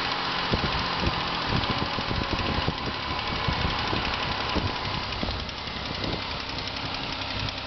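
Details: Newly bought 2005 Ford Escape at idle: sharp uneven knocks several times a second roughly following engine beat, from inside the engine, source unknown; engine knock.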